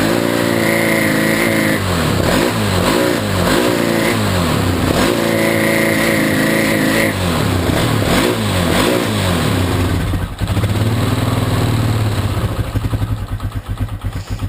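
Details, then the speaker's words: Polaris Scrambler 500 ATV with snorkel on 1 1/4 inch hosing: fine at idle, but revving brings uneven sputtering surges with intake squeal, owner suspects air starvation and plans larger hosing or rejetting. "Idle's just fine. But once you rev it up, it starts to sputter."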